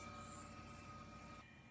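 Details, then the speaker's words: Red Bull refrigerator that wouldn't start: it still has gas and the thermostat is the main suspect. With the thermostat bypassed by jumpers, a quiet steady hum and even fan whir show the compressor and fans running normally, with no clicking. "y ahí está trabajando y el compresor y está trabajando también lo que viene siendo los abanicos este abanico está trabajando el compresor"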